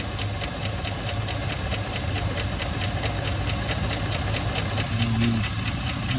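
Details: Al's engine idling with a sharp, steady metallic knock, roughly four a second, coming from a broken connecting rod.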